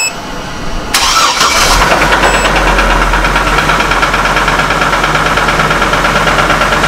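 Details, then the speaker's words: Copart Hummer H3 at start-up right after replacing the intake-side camshaft sensor for a stalling issue; rough rhythmic knock at idle from start, usually appearing only once warmed; owner suspects rod bearing, unconfirmed. "you can hear the knocking. Right now it started immediately. Usually it doesn't do this until it's cold, or until it's warmed up a little bit."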